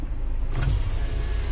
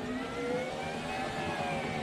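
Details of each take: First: Suzuki X-90 power window: a low, even motor drone as the glass runs down, with no stalling or grinding, so the motor works normally. The driver's window motor had failed and was being replaced; the passenger's works. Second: Suzuki X-90 driver's power window after replacing failed motor (went down but not up): motor whirs with wavering, sagging pitch as glass climbs; still weak but much better than before, slow window motor.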